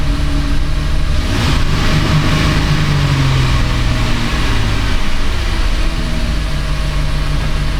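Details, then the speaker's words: 2010 Chrysler Town & Country 4.0, just started cold with a little throttle: uneven, lumpy idle with a brief throttle blip, stumbling; running rich, likely because the coolant temperature sensor reads 17.6°F, with a strong fuel smell. "so that's why it's running so rich it thinks it's 17.6 degrees F outside to give her a little throttle to get started there"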